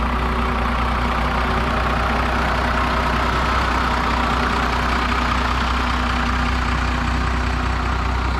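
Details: 2016 Ford 6.7 Powerstroke diesel, sitting for months, jump-started from another truck: steady, even diesel clatter at idle without stumbling or misfiring.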